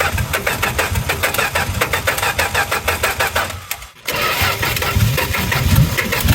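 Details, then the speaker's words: 1963 Plymouth Valiant slant six project, timing backed way off: uneven lumpy firing, stumbling and nearly dying around four seconds before catching; running rich, billowing fuel smoke, likely fouling plugs, from clogged carburetor air bleeds. "This is terrible sounding. It's every bit as bad as it ever was. Pretty sure it just fouled all the plugs immediately."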